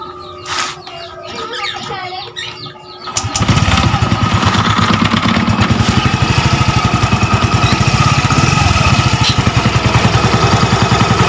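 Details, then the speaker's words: Yamaha Mio Gear scooter after repair: knock first blamed on the block was loose magneto rivets, re-pressed, valve seal also replaced; after start-up a steady even putter with no internal knocking: normal idle. "Tahimik na. Tahimik na siya. Wala na yung rat, yung parang pinupukpok sa loob."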